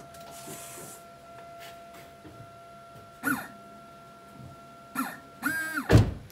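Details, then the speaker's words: 2000 Chevy Malibu with a replaced windshield washer pump, key on and button pressed: short electric whirring bursts under a steady dash chime; washer pump working normally. "Should be able to hear that pump working when I turn the key on and press the button."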